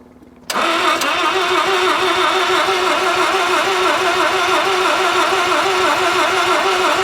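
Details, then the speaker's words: 1983 Mazda RX-7 FB barn find rotary, long stored, first start running on a makeshift petrol feed: fires instantly into a busy, buzzy, steady rotary idle without stumbling; really smooth, runs normally. "all right listen to how smooth that is that's really smooth really smooth"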